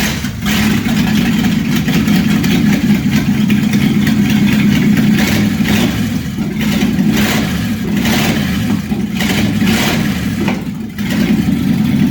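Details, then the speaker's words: Chevy small-block V8 being test-run before going into a '57 Chevy hardtop, with a homemade ignition harness and the timing backed off slightly; it may be a smoker. It burbles and revs freely, blips cleanly with no knocks or misfires: normal running. "all right sounds like she's going to be a good runner so we'll go ahead and carry on with the project here"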